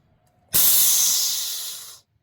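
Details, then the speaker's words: Vehicle air system after repairing air valves under the dashboard, engine running with pressure built: diff lock switch click, then a sharp hiss of air tapering off over about a second and a half; single main-diff lock venting normally. "Now the diff lock. And we'll hear that click. Yeah. Do you hear that click? And then I'll click it off."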